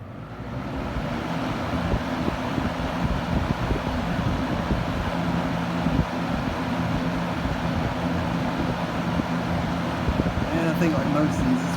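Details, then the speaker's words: 1970s Kmart Lakewood Model K-223 20-inch box fan with Marco motor, after replacing missing spacer that caused knocking: steady even air rush over low motor hum, no knock or thump, no bearing issues; normal running. "so now this thing uh runs smoothly without any knock or anything thank goodness"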